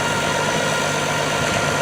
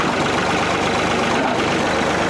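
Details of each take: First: Tractor with a 1066 transmission housing and a brand-new MCV hydraulic pump running with a thin, constant whine over the engine. Mismatched gear pitch is suspected; unconfirmed. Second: yeah like my rat killing the way a old piece of equipment's supposed to sound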